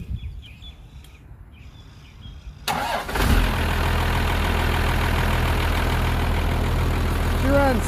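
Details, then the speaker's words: 1975 International truck with a 12-valve Cummins swap, after contaminated fuel led to two replaced injectors and a new VE pump: it cranks, catches quickly and settles into a steady, even diesel idle without misses or heavy smoke. Normal start and idle. "all right so the new pump's in and the belt is cracking right now i still didn't get to the latch but she's ready to go"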